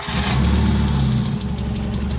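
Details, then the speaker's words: 1991 Mazda Miata started after sitting 15 years, with fresh oil and gas and a jumper box: rough lumpy idle with a quick top-end tapping, no smoke; top-end ticking at idle. "Yeah, they're going tap, tap, tap, tap, tap, but sat 15 years and fired right up, man."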